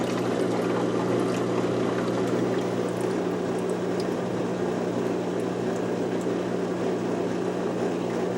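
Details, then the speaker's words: LG WM0642HW washer after drain pump repair, test on drain and spin with water poured into the drum; steady even hum with water gurgling and sloshing through, no grinding or rattle. The drain pump is working normally. "This is the drain and spin. It's ready. It's clicked. And it's going."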